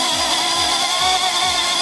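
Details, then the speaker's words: Drone held down, armed with a little throttle, then the transmitter switched off to simulate signal loss: a high motor whine holds and creeps faster instead of dropping, even with failsafe set to drop; failsafe is not working. "now you hear it getting faster and faster see it's actually not slowing down it's actually speeding up a little bit"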